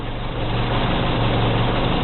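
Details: Petrol engine at idle: a low steady drone with a faint rattle while the clutch is engaged; the noise stops when the clutch pedal is pressed and returns when released, identified as clutch noise.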